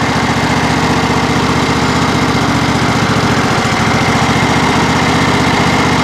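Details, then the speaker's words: John Deere SST18 lawn tractor at 160 hours, hydrostatic transaxle just refilled with synthetic hydraulic fluid: small engine runs steady and loads down slightly as the drive is worked forward and reverse while stationary, pumping oil. Normal hydrostatic pump load. "now we just want to work these Pistons back and forth for uh forward in reverse you can hear the engine load down just a little bit even though it's not going"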